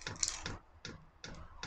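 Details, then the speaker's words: Chinese diesel air heater during startup: crisp light ticks about every 0.4 seconds as the dosing pump feeds diesel to the heating chamber; normal. "normalement la pompe là elle est censée alimenter le corps de chauffe"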